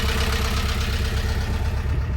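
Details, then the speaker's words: Narrowboat Vetus diesel at idle in a lock, with settling-in issues; deep thrum with uneven, lumpy beat that skips now and then; an onlooker suspects a misfire with one cylinder gone, possibly clogged; owner can't hear it; unconfirmed. "but will says that he thinks this boat's now misfiring and now thinks it's three cylinders I can't hear it to be honest but see what you think I just can't hear it"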